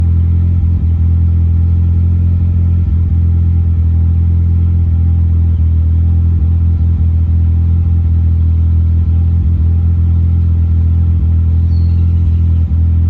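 Steady low idle with an occasional stumble breaking the rhythm every second or so; sounds like a misfire at idle.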